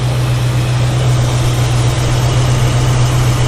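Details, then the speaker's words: 1965 Ford Mustang 289 V8 with Edelbrock carburettor, after idle circuit adjustment giving more fuel: steady, deep, even idle at raised speed with no misses or hunting, now sounding like a proper 289; previously shook, not firing on all eight at idle. "see not sure whether you're picking this up on my mic or not but now it actually sounds like a little 289 shirt"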